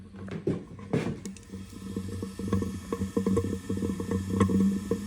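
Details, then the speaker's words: 2016 KTM 350 SXF after top-end rebuild, crank no start, leak-down test holding about 95 psi: soft irregular bubbling of air escaping at a low rate; good sealing, fault later traced to worn torque limiter gear. "can hear it bubbling through there. We are not losing too much compression."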